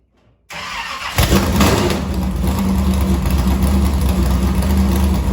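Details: Harris race car engine, sitting about a week and a half with the fuel line unhooked, started to draw fuel from the fuel cell. Silence, a short crank, then it catches with a quick rev and settles into a strong, even, throaty idle; runs healthy.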